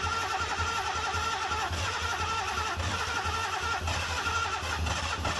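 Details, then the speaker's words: 1972 Datsun 240Z first start after sitting for years, fuel line disconnected, running on straight ether after freeing linkage and choke: catching and chugging unevenly at a low beat, barely holding on; runs rough but enough to proceed. "well you heard it the datsun kind of runs runs good enough to know that we can move forward with it but we need to get it to run a little bit longer so we can actually check the engine"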